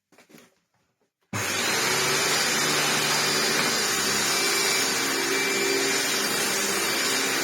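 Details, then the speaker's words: 1998 Hoover Turbopower 2 upright vacuum after motor replacement, fitted with non-genuine belts: steady high motor roar starting abruptly; the ill-fitting drive belt keeps popping off the pulley. "No, it doesn't like that belt either. Well, I mean, they're not genuine Turbopower 2 belts, which is probably not helping."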